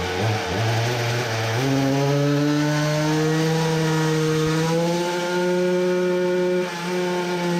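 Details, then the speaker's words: Samurai 40cc two-stroke with new cylinder on dyno: revved freely unloaded but won't rev under load, pitch flattens and bogs; only 3.13hp versus previous best 3.63hp, sputtering gone. "should have guessed that it won't rev under load like it did freewheeling but one would guess that it would rev still a bit more than this"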